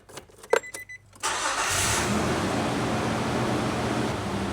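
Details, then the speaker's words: 2003 Nissan Frontier, start after extensive repairs of deferred maintenance, some transmission fluid dripping: a few clicks, then engine catches and settles into steady even smooth idle with no knocks or vibration, door no longer shaking. "Wow, it's running smooth. So much smoother. Uh the door is not shaking."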